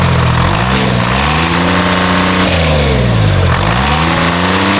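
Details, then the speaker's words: Timberjack skidder with a freshly rebuilt Detroit 3-53 diesel, reported missing, with loose fan belts. Revs hunt up and down, sagging and recovering, and worsen over time, and fuel pressure is to be checked. "Shouldn't be doing that. That's what it does, and it gets worse than that. Worse than that. All right. I need to check fuel pressure."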